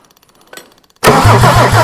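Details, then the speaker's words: Mercedes OM diesel never run before: faint ticking, then the starter engages on its own with no key turned and the engine cranks and catches into a steady rough idle; starter wiring fault needing work. "stuck it's all right it's starting itself at the moment just better work on the wiring in there a minute"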